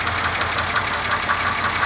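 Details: 2002 Pontiac Grand Am GT 3.4 engine at idle: steady idle with a sharp metallic tap about every quarter second, started days after spark plugs, oil and tune-up; internal knock, cause unknown.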